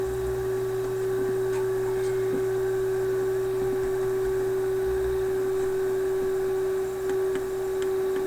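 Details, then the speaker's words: Philips 922 vacuum tube radio, steady low hum with constant hiss and faint crackles, heard on all bands so RF coils are ruled out; owner suspects capacitors in the IF stage, source not yet traced. "wow we hear this noise on all the different bands so it can't be any of these RF coils"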